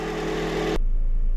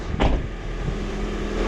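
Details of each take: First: 2001-05 Honda Civic EM2 D17 the day after a valve adjustment for misfires, engine not yet warmed up; steady even idle with no skips; no misfires, vibration from blown motor mounts. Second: 2001-05 Honda Civic EM2 D17 engine, cold, just after a valve adjustment; a fast, uneven ticking over the idle with a faint steady tone, the same noise as before, no misfires yet, vibration blamed on blown motor mounts.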